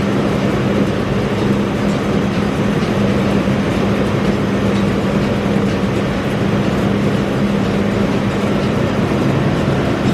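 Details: Massey Ferguson 40 combine (possibly 1996), sat 3 years, fuel and electrics refreshed; steady low diesel drone with even rumble and constant hum, no knocks or misses, engine shaking the machine; normal running.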